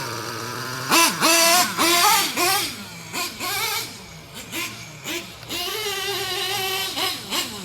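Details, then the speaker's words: Traxxas T-Maxx 3.3 nitro engine with new glow plug, OS carb, aluminum flywheel and clutch: blips up and down in short rough sluggish bursts, running really rich; a quarter turn leaner is suggested. "we're running really rich, aren't we? WOW. GIVE IT about a quarter turn."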